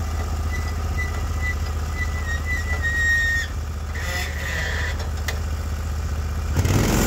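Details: Norwood HD36v2 bandsaw mill, day two testing new roller guides that replaced the ceramic guides, slabbing big black oak through bark at about 24 in wide: a steady, low engine drone holds speed with a faint blade whistle; the motor is loaded normally and the cut was flat and effortless.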